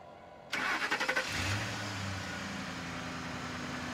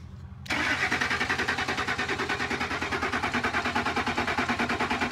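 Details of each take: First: Ford F150 after replacing heat-delaminated relay 203: six or seven quick cranking beats, fires and settles into a smooth, steady idle; starts cleanly. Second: Ford F150, starter cranked via remote starter button from underneath: even cranking about three beats a second that never catches, no fuel pump heard.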